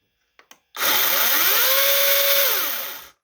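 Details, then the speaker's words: Greenworks 80V 16-inch brushless battery chainsaw, brief run without bar oil: two clicks, then motor whine climbs smoothly over about half a second, holds steady, winds down; normal soft-start delay, not instant on. "It just does not instantly come on. Hear that difference in sound?"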